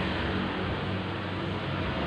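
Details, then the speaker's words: Honda Vario 125 scooter with the rear wheel spun: a steady coarse, rushing CVT roughness with no clean tone. The cause is worn bearings in the rear driven pulley. "Jadi untuk CCTV yang kasar sekali ini kerusakan ada di apa ini, di laker puli, di kaca puli ya. Jadi kalau untuk jalan itu kasar sekali, suaranya sangat berisik di CCTV-nya."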